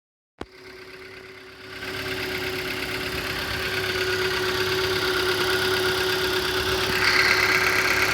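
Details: 2012 Hyundai Elantra, 50,000 on the odometer, after refuelling at a Kyiv filling station: a fast, fairly even ticking knock of about three per second over a steady idle with a constant whine. Engine knocking at idle.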